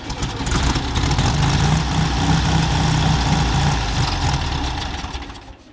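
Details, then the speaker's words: Carbureted Chevrolet Chevette engine, first run after 26 years parked: an even, steady idle with a smooth, round beat and no misses or knocks; normal idle. "eu tô carburador certo tá bom cara redondinho"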